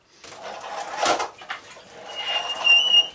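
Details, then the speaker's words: MBK Kansas moped, brakes reported squeaking by the owner, checked before a road test: a short, thin, high-pitched squeak rising as the brake lever is squeezed, over handling noise; brake squeal. "Alors, qui wink, j'en sais rien, je parle absolument pas le normand, alors à mon avis, ça veut dire les freins qui font du bruit, hein, qui grincent."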